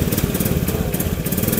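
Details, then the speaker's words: Honda motorcycle during an ignition-system check, idling while the primary coil peak voltage is measured at the coil's black/yellow wire. Quick, steady, even single-cylinder putter with no misses; the reading was 191.8 V against a 100 V minimum, within standard. "Setelah PVA terpasang, langkah selanjutnya adalah menyalakan mesin. Kita nyalakan dulu mesinnya."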